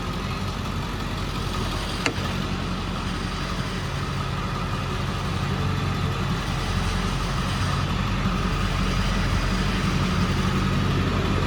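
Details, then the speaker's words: 2003 Ford F-350 7.3L Powerstroke turbo diesel, 93K miles, idling: steady low clatter with faint metallic rattle from loose chrome cap on muffler; pushing on it stops rattle, clamp needs tightening. "There's a slight rattle that you can hear and it's annoying and I'll get it taken care of. I noticed it and it's the the chrome cap on top of the muffler."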